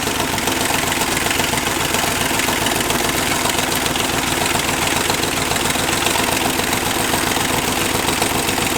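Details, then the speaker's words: Chevy 283 small-block running on one head (four cylinders, homemade CNC head gasket), warm fast idle slightly higher than normal: light ticking up top with an occasional sharper tap from one lifter getting bumped around. "that one lifter is getting bunked around a little bit"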